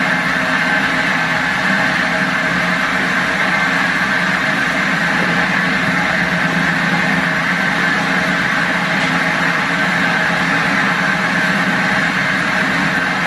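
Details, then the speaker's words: Lifted limo golf cart on jack stands after fitting a used replacement rear axle: constant loud gritty whining drone, louder than the original noise; worn differential, owner plans to drain and check the diff. "well that sounds louder than my original problem we need to drain the diff"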